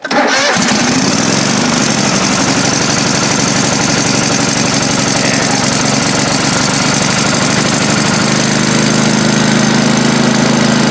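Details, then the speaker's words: John Deere 185 riding mower, sitting two years, fresh battery and carb spray on a gummy choke: the engine catches within a second and settles into a steady, even run with no misses, knocks or hunting; normal start and run. "alright that thing fired up and ran pretty good"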